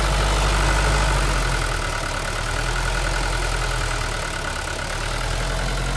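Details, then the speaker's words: Old Mercedes 123 diesel left five years in a backyard, glow plugs suspected bad, after first start: steady, even low clatter holding a constant idle with no misses or knocks. Normal diesel idle. "всё вот слышите обороты повышаются Опа вот это то что я говорил"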